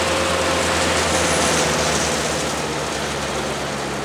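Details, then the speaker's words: Bandit 200XP diesel wood chipper held at working speed: even drone with a faint light pulse, no misses or knocks; running normally. "we want to run at about 2600 rpm 2700 rpm give or take some"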